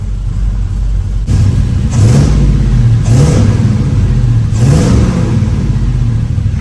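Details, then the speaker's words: V8 engine after a fuel-line flush and battery reconnect (it had been running rich, spitting raw fuel from the tailpipe): settles into an even idle with clean throttle blips rising and falling smoothly. Sounds good; normal idle and revving, codes not yet scanned. "I mean, I haven't turned the scanner on to see if we have any codes, but it sounds good."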